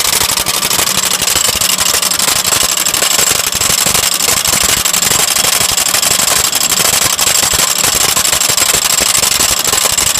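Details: Lexus idling with a busy, tinny rattle of roughly four taps a second riding over the engine; the cause is unclear.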